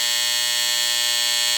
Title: Hair Clipper Disturbingly Loud Noise Explained.